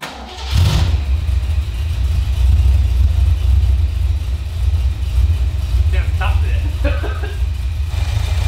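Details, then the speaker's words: Holden HQ V8 after T5 gearbox conversion, service and new RAE electronic distributor with Goss coil: cranks, catches quickly and settles to smooth, even deep idle, no misfire or stumble; running healthy. "nice running real nice see how she sounds really good [Music] that actually sounds really good right now"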